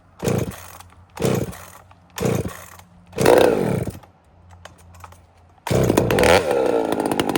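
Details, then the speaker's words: Chainsaw not run for quite a while: several short revs, then settles into a busy, fast idle with steady rattly firing, sitting higher than it should; high idle. "That's a sign of a saw that has not been run for quite a while. This thing idles high a bit."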